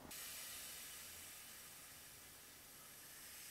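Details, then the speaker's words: Compressed air hose inflating a small inner tube to push out a GTO door skin dent: a steady, bright hiss; an air leak somewhere, possibly in the inner tube, not confirmed. "sounds like we have a leak somewhere it's doing the trick right there maybe a little bit more I don't know where that leak is maybe this interent tube's got a leak I don't know"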